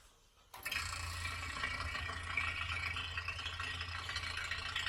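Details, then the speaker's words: 1940 Frigidaire refrigerator after a compressor change, started on a partial refrigerant charge (under half a can, positive pressure); steady low hum with irregular buzzy rattle, compressor running rough while pressures equalize, not sounding the best. "It's not sounding the best. Taking a minute to kind of equalize pressures and sounding a lot"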